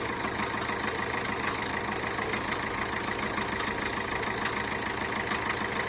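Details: Peugeot Bipper Tepee 1.3 HDi (JTD) diesel idling: steady rattle of fairly regular light knocks, about three a second, over the engine drone; source unclear.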